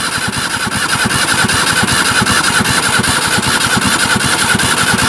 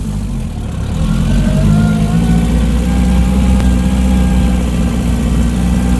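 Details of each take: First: Barn-find Zastava 850 left in storage for years, on a start attempt: a steady cranking beat of about 2.5 per second that never fires; there is no spark, and the owner suspects the coil and finds rusted points. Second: Barn-find Zastava 850 (850 cc) after ignition work (new coil, points), driven in second gear at about 30 km/h: the small engine runs smooth and even with no knocks or misses; only a slightly sticky throttle pedal.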